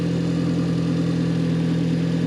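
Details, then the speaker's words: Car that had been running rough, misfiring and smoking, after repair, engine still cold: even steady idle with no misses, stumbles or popping; running a lot smoother now. "a lot smoother now."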